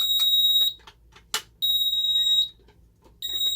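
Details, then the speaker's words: Ademco 6139 keypad piezo sounding a carbon monoxide zone alarm in a controlled test: high shrill beep near 4 kHz in long on-off bursts, pitch wavering as the piezo struggles to hold tone. "You can really hear this thing having issues with its piezo trying to keep pitch."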